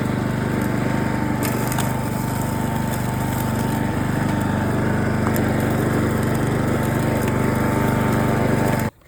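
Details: 2007 Parkside push mower, a dump find revived after sitting with an empty fuel tank: runs at a constant, even engine speed with no stumbles or rattles, then cuts off cleanly; running healthy.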